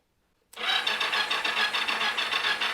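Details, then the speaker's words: 1983 Yamaha XZ550RK Vision, starter solenoid jumped, weak battery: starter kicks in and spins the engine steadily, feels like compression, never fires; cranking no-start with no spark, owner suspects dirty switch and weak battery. "let turn it over SP no spark but I may have a no spark so I have a I got to clean my switch up there"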